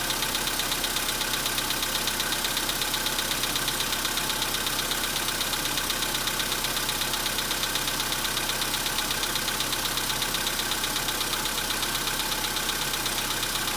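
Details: 2015 VW Polo Sedan, 91,315 km, cold start at about -10°C: fast, even metallic ticking around 160 per minute over cold idle; knock lasts longer in winter as warm-up is slower, almost gone once warm. Cold-start knock, cause unknown.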